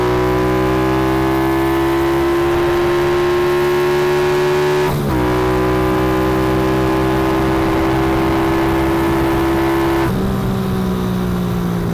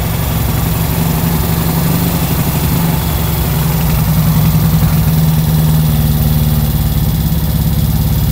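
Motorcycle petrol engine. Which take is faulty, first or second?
first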